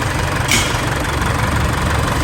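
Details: Isuzu 4JK1 diesel with dead, stuck piston rings, due for a rebuild: heavy, uneven idle with a deep knocking underneath as the pistons knock.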